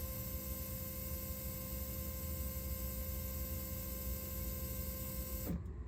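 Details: Ram 1500 3.0 EcoDiesel after fuel filter replacement, key-on priming cycle to purge air (repeated six times before starting): even electric whir with low hum, then clean stop, fuel pump priming and shutting off normally.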